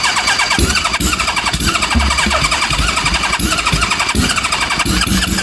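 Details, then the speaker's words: Homemade supercharged, fuel-injected Kawasaki Z1000 on a twenty-year-old aftermarket ECU with guesstimated compensation map, cold start: uneven cranking with ragged sputtering catches, no settled idle; hard starting, fuel rail possibly not primed. "cold is that better than before uh I thought initially I thought it was worse cuz it was spinning over and not firing but now it is it it's starting to fire so maybe the fuel rail isn't primed as much as I thought it was"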